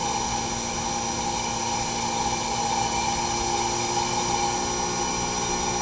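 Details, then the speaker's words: Newly upgraded heat pump system after vacuum pull-down, with the reversing valve switched to heat mode. A steady, even, very quiet hum with soft fan rush and light drone, and no rattles or knocks; it was described as nice and cold. It is running normally. "Thing's flipping quiet, man. Nice and cold. Can barely hear the thing running."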